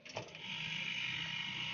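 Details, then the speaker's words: Refrigerator compressor on a current relay (not PTC), switched off then back on: a click, then steady hum with fine high buzz; restarts immediately and runs normally. "ternyata kompresornya bisa langsung menyala ya"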